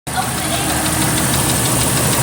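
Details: 1997 Jeep Cherokee idling steadily with a light, evenly spaced knock under the engine note, suspected rod knock from bottom-end wear; cause suspected, not confirmed.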